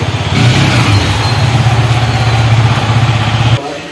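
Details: Yamaha MT-15 BS6 after engine opened and gear shifting/clutch issue repaired: even low thumping idle, about four pulses a second, no knocks or rattles; bike runs healthy.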